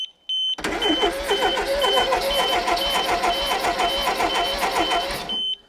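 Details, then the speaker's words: Mk1 Ford Fiesta Super Sport barn find, parked about 20 years: starter churns about two beats a second while an aftermarket Viper alarm chirps; never catches, no spark; they wonder if the immobiliser is cutting spark. "I wonder if it's cutting the spark, the immobiliser."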